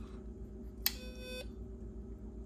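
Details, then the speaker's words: MFJ Pacesetter electronic keyer powered up with the 8044 chip taken from an HK5A clone keyer: single clean high beep of about half a second on wake-up over a quiet hum, no stray dits, showing the chip is good. "They wake up, and a lot of them give one beep when they wake up, and then there's ground and okay, well, we got a good chip, so that's good."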